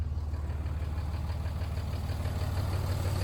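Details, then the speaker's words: Cheap Cummins diesel truck that previous owner couldn't get running right, started with brake clean sprayed on the air filter; even, regular diesel clatter holding a fast steady idle well above normal: high idle, restarts easily once started. "sounds pretty good. That's pretty high. So, apparently, once you get it to start, then it'll start back up all day."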